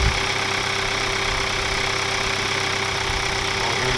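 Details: 2021 Hyundai Sonata N Line turbo, first start right after a DIY Sxth Element turbo inlet install: the engine catches and settles into a steady, even idle with a faint whirr on top, no knocking or hunting, sounding healthy.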